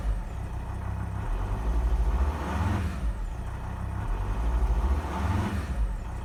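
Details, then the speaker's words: Volvo XC60 D5 diesel (possibly Euro 4) on a cold start, throttle floored to just short of kickdown. Low rumble bogs and surges, taking about 10 seconds to rev. Owner suspects fuel starvation; the hesitation was previously blamed on the gearbox and later traced to faulty injectors. "you can see it took about 10 seconds to start revving there so it feels to me a bit like fuel starvation"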